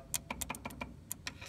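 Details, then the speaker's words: International 986 tractor, good batteries, solenoid jumped directly under the cab: quick irregular sharp clicks with no cranking; solenoid engages but starter won't turn, fault inside the starter. "So I can just take and touch this here, and if you can hear it, the solenoid is doing stuff,"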